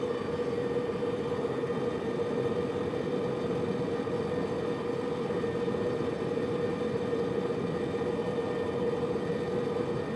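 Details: Subaru Liberty recorded from left of centre console: steady road roar with a constant mid-pitched metal-on-metal grinding drone starting above 65 km/h, continuing when coasting in neutral until slowed to 60 km/h.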